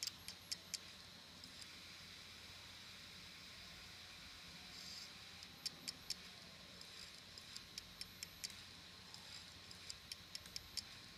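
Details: Samsung ST1000LM024 1TB laptop hard drive from a Samsung laptop, damaged: sharp irregular clicks in small clusters over a faint steady hum.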